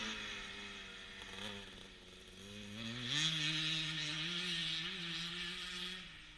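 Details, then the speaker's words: 1977 Honda CR125 Elsinore two-stroke after an HPI ignition install: raspy revs climbing with occasional uneven dips and stutter; owner suspects a big exhaust leak, since it ran fine before the leak. "you can hear it kind of stuttering a bit um some of the time but i think that's more down to the uh big little exhaust leak i've got"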